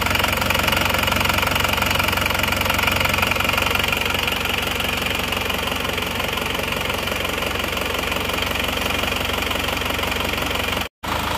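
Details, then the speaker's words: Isuzu Panther diesel just started cold after new cylinder liners replaced a compression leak that only caused smoke at the oil filler cap and dipstick; steady, even clatter at idle with no misses or heavy knock; normal idle. "ini mesinnya sudah hidup sekarang kita coba Sebentar ya"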